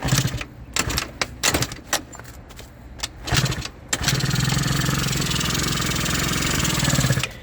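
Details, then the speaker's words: Eaton Beamer Matix 2 scooter, day 5 of rebuild, kickstart reassembled properly after a possibly faulty earlier assembly, key on, possibly weak battery, choke on: a few kicks with scattered clunks, then the two-stroke settles into a steady buzzing idle, no rubbing or scraping. "So, I'm going to turn the choke on. I'm going to give this a kick down."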